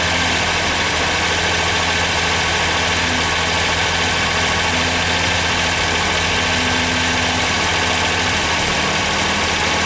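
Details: Ford Sierra V6 cold start: steady drone with a slightly uneven low beat; rough running from bad fuel injectors.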